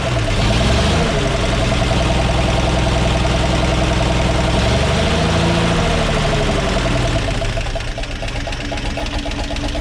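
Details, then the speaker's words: 1942 Blitz truck being revived, after rebuilding the carburetor and cleaning the air filter: smooth, even idle with one brief rev and no knocks, misses or hunting; idling much better. "So she's idling a lot better now. Oh, I cleaned up the old air filter and put that back on."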